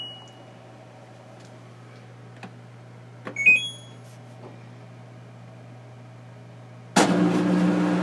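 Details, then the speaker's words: LG WM0642HW front-loader washer with recurring DE door error: power-on chime, soft latch click as door locks, then water rushing in; lock engages and fill starts normally. "power on hear that door locked it's running no clicks no noise you can see it spinning"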